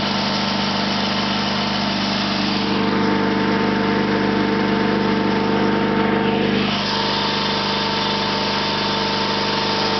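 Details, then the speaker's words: 1974 Sears Suburban SS/16 tractor, 16 hp opposed-twin Onan, out of gear at full throttle: steady buzzy drone with a brief dip near the end, otherwise smooth; runs good, surges below about a third throttle. "so like I said it runs pretty good it's still it surges at anything less than about a third of Full Throttle"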